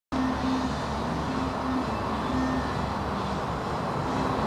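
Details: A steady, heavy drone with a low hum swelling in and out while the car rolls, from a bad wheel bearing; the car also pulls right on braking and the anti-lock brake and traction control systems act up.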